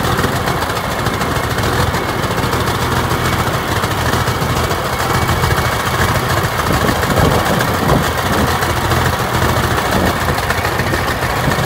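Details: TD25 diesel dozer just started after sitting 20 years (speaker says about 10), with water drained from the tank and new batteries fitted; a deep, steady rumble and constant clatter hold an even beat with no misses. Normal idle.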